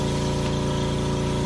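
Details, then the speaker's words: RICOR K535 Stirling cryocooler making liquid nitrogen, started first, then California Air compressor started once cold, feeding a nitrogen membrane; even, smooth hum with steady pumping pulse, no knocks or rattles, quiet enough to talk over; normal running. "And once I get it cold, I will then start the compressor. And you can hear that's pretty quiet."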